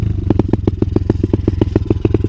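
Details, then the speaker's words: 125 cc dirt bike during a service and test: fuel confirmed flowing, but the engine stumbles with an irregular popping beat as the throttle opens. It runs worse with the air device engaged; the owner suspects the air filter. Cause not confirmed. "Et si je mets le truc à air là, c'est encore pire, elle ratatouille plus alors que j'ai moins d'air."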